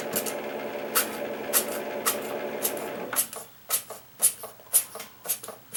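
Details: Keurig K60/K65 that won't brew, possible coffee grounds residue in capsule area: strained pump drone with sharp clicks about twice a second, then drone drops leaving clicks; water won't pass, clog in brew head, top end.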